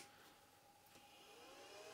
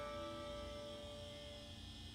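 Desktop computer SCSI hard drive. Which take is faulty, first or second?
second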